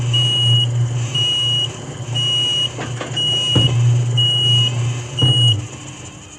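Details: Electric gate alarm beeping at a lower tone, about one high beep per second, half-second on and half off, repeating steadily over idling traffic; cause unknown.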